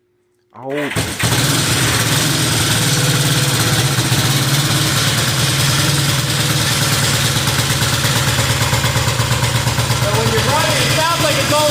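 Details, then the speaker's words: Honda CB360 vintage motorcycle after sitting months: uneven lumpy idle with missing pulses, running on one cylinder, left exhaust pipe cold and right warm, little top-end rattle heard; misfire on one cylinder. "so what I was saying is that the left pipe's still cold and the right one's warm now so I strangely enough didn't hear the top end rattle really there was some there but not a lot"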